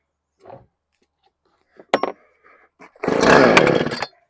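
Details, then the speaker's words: Husqvarna 455 Rancher chainsaw after replacing clutch, clutch drum, drum bearing and guide bar: after a few clicks it fires and runs a steady crisp buzz with no rattle, repair sounds fine. "[Music] All right. Nice and tight. Looks good. Nice simple project."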